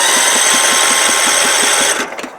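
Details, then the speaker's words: Scotts riding mower, carburetor needle and seat stuck open flooding engine with fuel; spark plug removed, cranking to clear soaked cylinder: starter whirs with quick even chuff, no firing. "all you gotta do is get that to get that fuel out of there is uh just crank her over and you'll see it come on"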